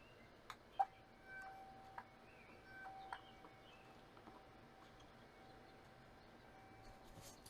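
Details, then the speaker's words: Motorcraft warning chime module from a 1988 Ford Ranger, bench-tested on a booster pack after disassembly and reassembly: thin steady chime barely above room hiss with a few clicks; it works but output is very faint. "so it's very faint guys but it it's working"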